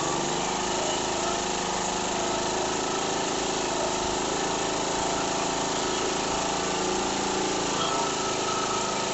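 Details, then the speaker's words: Mower with a no-start fuel problem, air filter removed, fed through a fuel-line diagnostic trick: small single-cylinder engine runs steadily with no misses or surging until the fuel runs out; fuel supply and carburetor working. "it's running all right it is run out of fuel in the tank and it quit pumping out of this line here so I went ahead and shut it off"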